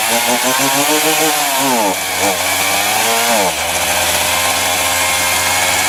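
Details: Titan TTL759CHN petrol chainsaw (cheap Screwfix model, bought as a return) cutting at high revs; screaming revs sag and stumble twice before recovering, bogging down from a known incorrect low-speed carburettor setting.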